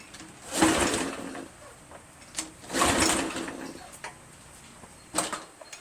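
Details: Craftsman 2700 PSI pressure washer, Briggs 7.75, after quick carb bowl clean, run briefly: two pull-cord bursts, engine spins but never catches; fuel was still reaching the bowl, suspected fuel not yet filled.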